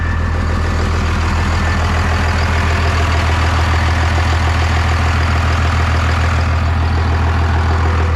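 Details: 1998 Dodge Ram 2nd-gen Cummins diesel, first run after problems solved, no coolant so run briefly: steady even clatter, deep regular idle, no misses or knocks; oil pressure and charging OK; normal idle.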